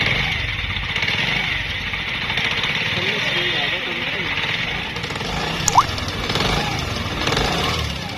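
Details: Honda CD 70 single at idle: busy metallic chatter and rattle, too loud for the valves, continuing after the timing chain was replaced and adjusted. It points to a broken camshaft bearing.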